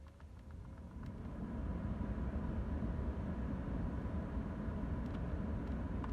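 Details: BMW 3 Series F30 heater blower motor after removal, lubrication and reinstallation to cure whistling and squeaking: with ignition on, the fan spins up to a low, smooth whoosh with no whistle; normal, healthy heater blower.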